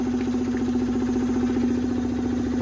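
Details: 2014 Yamaha Zuma 125 stored since 2017, first fire after fuel pump restored and fuel added: small single ticks over evenly with steady low hum and smooth consistent beat, no stumbling; idling normally.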